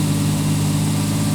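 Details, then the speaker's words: 1989 Jeep Cherokee XJ Renix 4.0L on a cold start idling fast, around 2,000–2,500 rpm for up to a minute, fine when warm; cleaning the idle air control valve didn't help, so it is being replaced. "so the Cherokee does do this when it's really cold out it idles super high"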